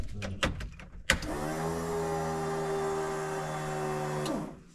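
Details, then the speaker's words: Mk2 Fiesta Zetec turbo build, first prime after connecting the battery: steady electric fuel pump whine for about three seconds, then cuts off; pump runs but is not picking up fuel yet, no fuel pressure, an injector later found not quite seated. "Well, it runs, but it don't feel like it's picking up fuel. Oh, it's starting to. There's no fuel pressure yet, though."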